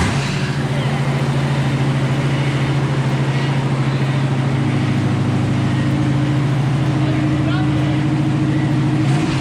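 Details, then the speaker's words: 454 V8 in a rusty crew cab dually C30 squarebody, first start in 3 years on a new battery; fires right up into a deep, steady, lopey idle with no misses or knocks. Normal idle. "ah dude that fired right up holy crap that sounds good"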